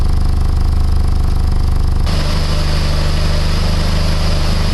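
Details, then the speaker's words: PT Cruiser 2.4 four-cylinder after used cylinder head installation, warm after 15–20 minutes running: steady, smooth idle with no whine, knock or misfire; a separate exhaust leak at a clamp with broken bolts remains. "Everything's nice and smooth. You see, everything sounds good. There's no whining. No missing."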